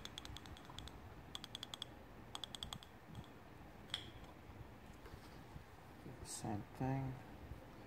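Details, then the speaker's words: BMW E46 M3 S54 engine dual VANOS valve body, solenoids soaked in brake cleaner: crisp, quick clicks in short bursts as each is switched. The valves were silent before cleaning and now actuate freely. "okay so got this one clicking pretty good here and then I got a little noise out of this one and weren't getting anything before"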